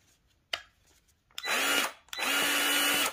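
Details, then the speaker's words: Milwaukee 2646-20 M18 grease gun after replacing the gearbox, whose high-speed gear had died, test in speed ranges one and two: clean, steady motor whine with no grinding or knocking, running smooth. "okay range number two sweet right that sounds really good"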